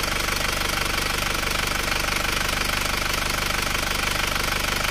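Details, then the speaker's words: Isuzu Panther automatic diesel after engine repair for lost compression and dipstick blow-by, idling after a 66 km test drive: steady, even idle with light clatter, temperature down, smoke subsided, running healthy. "temperatur mesin turun ya Dipakai stasioner turun reda asapnya aman"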